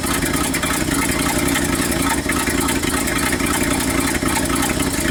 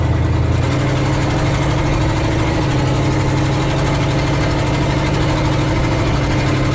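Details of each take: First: 1969 Ford F250 360 V8 just after Motorcraft 2100 carb rebuild, first test run, manual choke on, cold: steady low rumble with uneven, slightly hunting idle; untuned carb needs choke off and jet adjustment. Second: 1969 Ford F250 with a 360 V8, driving after a Motorcraft 2100 carburetor rebuild that fixed sputtering and coughing: deep, even drone with a steady low beat and no misses or knocks. Runs healthy; the accelerator spring is a bit stiff.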